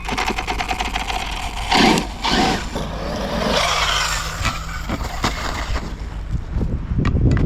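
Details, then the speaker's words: Castle Mamba X ESC and motor in a Tekno MT410: a rough, stuttering whir with jerky bursts, cogging and cutting out at low speed with low power. Castle later found the motor defective and the ESC fine. "had a bit of a weird issue last time I was out motor was cogging really badly at low speed cutting out low power shuttering"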